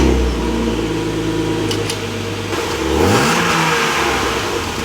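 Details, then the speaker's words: Clean, garaged, later-model BMW with the M52 B28 2.8 L straight-six, rear-wheel drive, recently stored in a barn: even steady idle at start-up, then a clean rev that climbs and settles smoothly; normal, healthy engine. "So, yeah, that is how she sounds. Nothing special, but I think I might go for a custom exhaust at some point."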